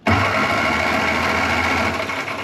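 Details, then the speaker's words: 1961 Mk1 MG Midget roadster parked since 1971, 54 years, fitted with a fresh replacement starter: quick, even whirring crank with steady pitch, no grinding or clicking; turns over freely, four cylinders with good compression. "That's perfect. Now we can test our last cylinder. four really good popping cylinders. So, we're turning over."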